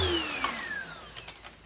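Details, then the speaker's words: Cheap Goblin bagless vacuum converted to a bagged cleaner: smooth motor whine falling steadily in pitch as it winds down, no grinding or rattle; motor healthy and seems a bit more powerful after the conversion. "is it my imagination or does that sound more powerful [Applause] it is a bit more powerful"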